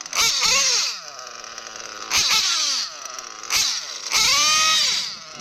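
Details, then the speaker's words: O.S. Speed B21 Adam Drake nitro engine in RC truggy, J21 carb, fresh ceramic bearings, first run, fuel-line pinch test: revs climb too fast in sharp bursts within two seconds; lean low-end mixture, to be richened. "That's a little fast. I'll probably richen up the low end just a little bit more."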